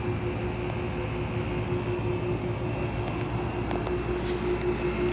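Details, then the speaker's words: Old window air conditioner running: a constant hum with a steady mid-pitched whine over the fan rush. The motor bearings are failing, which began a couple of years ago, and the compressor is barely audible. "and of course the bearings are going down in it it only started doing that a couple years ago it's kind of weird you can hardly even hear that compressor because the bearings are so low"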